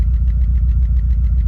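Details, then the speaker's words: 2000 VW Golf Mk4 GTI 1.8T AGU, misfiring since the car came to a stop, with a fuel smell: lumpy idle with an uneven, stumbling beat and missed pulses; the cause is a failed ignition amplifier (ignition control module) on the airbox. "the car had sort of developed a weird misfire, and it was there through the rev range. It made it like driving very difficult."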